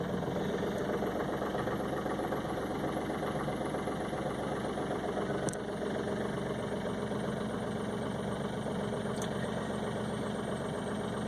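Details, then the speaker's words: 2006 Smart Fortwo CDI diesel cold start at about −19 °C, not plugged in, after glow plug light went off: steady idle with even, rapid clatter and no misses; normal harsh rattle of a very cold engine. "so I was just waiting for the global plug light to go off let's give it a try and you can tell she's pretty cold you can certainly hear it"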